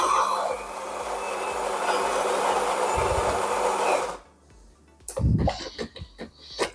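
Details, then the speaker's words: Saeco Xelsis SM7680/00 coffee machine after replacing two of four solenoid valves for milk splashing, brewing a cappuccino: about four seconds of steady, even grinding, then quiet valve clicks and hissing; grind and brew cycle normal, nothing leaking. "zaparzmy cappuccinko mili państwo cappuccino No będziemy zatrzymywać Nie będę tu nikomu programu zmieniał młynek mieli to pewnie słyszycie"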